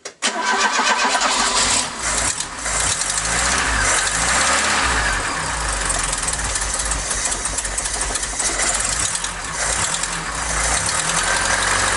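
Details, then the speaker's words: Mk3 Ford Cortina Estate carburetted engine before the exhaust manifold nuts were tightened. It catches and settles to a rough idle with quick, uneven tapping over it, typical of an exhaust manifold leak. "but i did put my fingers there and i could feel gases expecting you know it being expelled so that would create a noise in its sound tapity"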